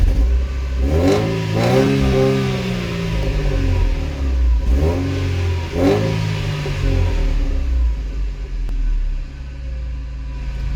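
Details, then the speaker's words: Mercedes SLK230 Kompressor that had a misfire, after replacing the ignition cables: starts without problems, clean blips rise and fall, settles to steady even idle, no odd noises; normal idle and revving. "empezamos sin problemas veis la revolución estará en constantes nos vienen ruidos raros"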